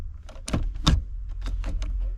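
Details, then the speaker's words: Honda Civic EP3 with solid mounts, just after installing an RS short shifter adapter: a few sharp, irregular hollow clunks over a low hum whenever first gear is selected; knock from the shifter, cause unclear. "So anyway, every time when I put in the first, I hear that, you know, like it's hitting something, but it's not hitting something."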